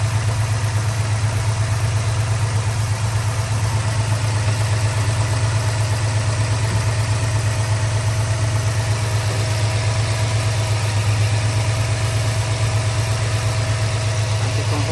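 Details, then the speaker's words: 2022 Ford F-250 7.3L after repair of seized hydraulic lifters and the camshaft, first run after oil pressure priming: a deep, smooth, even idle with no ticking or knocking. Normal healthy idle. "Ahí está funcionando al máximo."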